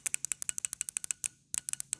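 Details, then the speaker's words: TBI injector from a 1987 Chevy C10 305, removed and bench-tested with low voltage tapped across its poles: sharp crisp ticks, several per second, clean and consistent; injector solenoid snapping open normally. "That means that little solenoid in there, if you will, is working back and forth. There's a pretty good chance there may not be nothing wrong with this thing."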